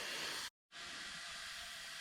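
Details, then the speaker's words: Nissan GQ Patrol Ford Barra engine, leak-down test on cylinders with head on: steady airy hiss cutting out briefly and returning; air leaking past valve seats, slight at cylinder 4, massive at 5; head going to machine shop. "not that you can feel it or see it but there is a slight leak out of cylinder 4. cylinder 5 has a massive leak you can probably hear it"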